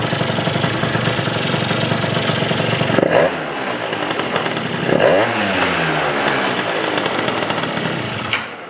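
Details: Yamaha BWS 100 scooter built with a Malossi 125cc kit, two-stroke, revved after carb work and before refitting the airbox: crisp buzz climbs cleanly through quick blips with no gurgle or stumble, far better than before.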